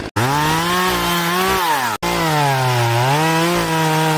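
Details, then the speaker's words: Poulan Pro chainsaw after sprocket and oil pump replacement, cutting wood: strong two-stroke howl holding steady, dipping slightly as it bites and picking right back up; cuts easily; healthy chainsaw cutting. "Yo, that's freaking so easy. It's like a hot knife through"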